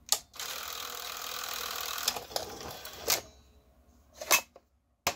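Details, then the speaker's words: 1982 Sony SLO-420 industrial Betamax VCR: a short motor whirr, then a few crisp, evenly spaced clicks as the cassette loads; the loading mechanism works cleanly, with no grinding or slipping. "the loading mac looks nice it's working fine"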